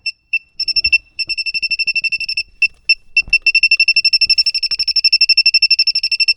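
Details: Refrigerant leak detector on its highest sensitivity beeps rapidly, about four a second, then speeds into steady chatter at the expansion valve. The A/C system won't hold vacuum, and the owner suspects a leak at the expansion valve or evaporator.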